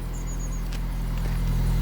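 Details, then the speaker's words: 2002 Mini Cooper S after replacing the exhaust system, whose exhaust box had broken away: deep, steady low idle hum with no rattles or blowing from the exhaust; smooth, even and much healthier. "Happy? Sounds a lot healthier. Yes, does sound a lot healthier."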